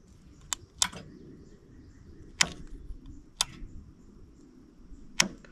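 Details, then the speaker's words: Hydraulic solenoid valve on a Wolverine skid steer sickle bar mower, bench-tested with the wires held together before permanent wiring: a few sharp, crisp single clicks, with the valve light coming on. It switches cleanly and works. "they're probably hard to hear or see but when I'm doing this I can see a little light turn on on the valve and I can hear it click so that's going to work out well"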